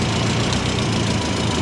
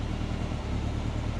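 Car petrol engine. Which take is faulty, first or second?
first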